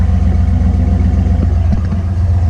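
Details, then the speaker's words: Ford F150 project truck after backing out an expander plug that sat too far in and was thought to be struck, causing a knock; now a deep, even idle with steady rumble and no tapping or knocking. "Ooh. All right, that sounds much better, guys. I'm sure you guys could hear that knocking earlier, but now"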